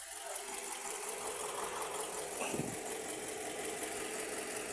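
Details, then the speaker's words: Toyota RAV4 after repair, no check-engine light, fuel nearly empty; very quiet even idle hum under background hiss, no knocks, ticks or rattles. "Ayan, so tahimik na tahimik po yung andar niyan. Ayan. So tahimik na tahimik ang andar niyan mga kalyabe."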